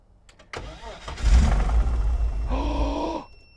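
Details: 1987 BMW 325i (E30) being brought back on the road: strong, even starter cranking at about four beats a second that never catches into a run; cranks but won't fire. Cause suspected, not confirmed.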